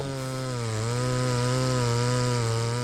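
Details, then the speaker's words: Ported Farmertec Stihl MS660 chainsaw on an Alaskan mill milling slabs, flat-top piston with more compression. It drops into the cut and holds a steady, even drone without surging or bogging, pulling lower RPM but holding it, running cool; a little jerky at knots. Normal running under load. "watching this and just one of the difference there is I was like actually able to push on this um we get here to these knots it gets a little jerky but uh well you know that's just gonna happen with anything"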